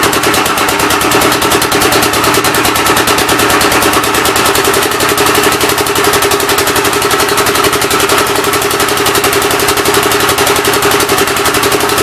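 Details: Rebuilt engine on its first start attempt, with temporary ignition and fuel fed by hand: even chuffing at about two beats a second with a raspy puff each cycle. The intake valve seems to be leaking but not hanging open; the plan is to pull the head.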